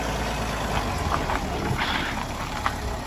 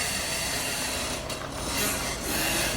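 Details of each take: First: BMW after squeaky ball joints were removed, filled with polymer and fitted with grease nipples, reassembled: low vehicle rumble with soft knocks as the body moves, front suspension squeak now gone. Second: BMW front suspension: dry, rasping creak swelling and fading as it moves, suspected from control arm ball joints, which were removed and filled with polymer before retesting.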